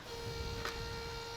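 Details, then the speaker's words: Thin steady high whir lasting about a second at key-on over a quiet background; motorcycle fuel pump priming normally while the starter solenoid is being tested. "ah listen to that pump go and we'll hit it and there she goes that's that's as expected"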